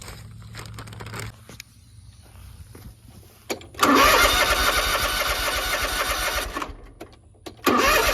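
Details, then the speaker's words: Zero-turn mower, crank no start after carb rebuild, new air filter and carb: starter spins engine steadily for seconds, stops, cranks again without firing; spark plugs fouled with barely any gap. "It wouldn't pop over. uh or I I put the uh after I rebuilt the carb and put it on, it still wouldn't fire over. And this is exactly why these are so fouled out, it's barely even a gap in them now."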